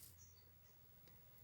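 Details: Chevrolet Meriva clutch pedal pressed: quiet hum then one sharp creaking click, caused by a cracked panel at the pedal mounting that lets the whole structure flex.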